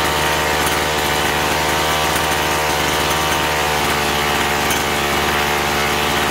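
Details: Chainsaw that surged and lacked power, after carburetor cleaning with both L and H screws set one and a half turns out from seated; holds a steady high-pitched run under cut with no bogging or surging, clean and even throughout.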